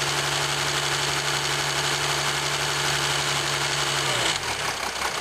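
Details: 2007 Jeep Grand Cherokee 3.0 CRD diesel, camera on the battery: busy, loose clatter over the idle tick, with a steady hum dropping out near the end. Owner suspects timing chain rattle on the drive side, unconfirmed.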